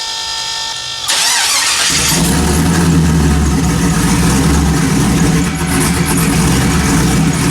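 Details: 1974 Chevy Caprice, built turbo LS, after Holley 12-1800 dual fuel pump upgrade, first start: starter catches after about a second, then deep steady idle with no stumble or misfire; normal start and idle.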